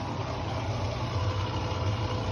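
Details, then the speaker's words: Mabe Aqua washing machine drain pump giving a steady low electric hum but no longer pumping out water; the pump is not working properly and needs replacing. "solamente se escucha el ruido pero ya no está ya no está aventando el agua no está desaguando como se debe ya no tiene ya no funciona la bomba bien el desagüe ya no funciona bien"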